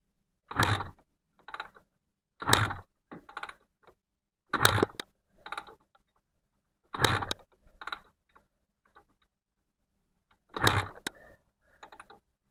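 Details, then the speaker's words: Honda NSR250R-SP MC18 250cc two-stroke grey import, first kick-start attempt of a restoration with carbs filled, ignition, kill switch and choke on: five kicks with mechanical clatter and no firing pop. "So, let's try Let's take a spark plug out and see if we've got a spark. I think that's the best process to try."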